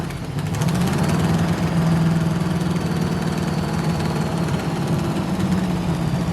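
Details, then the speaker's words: 1971 Chevy Nova pro street, small-block V8, 4-speed, bought non-running, first start after re-splicing plug wire and swapping distributor cap: lumpy stumbling idle with rumble rising and falling; definite misfire, timing suspected out, firing order later checked good. "all right so we know it runs uh here's what we got just based on that little bit of running it's definitely a misfire"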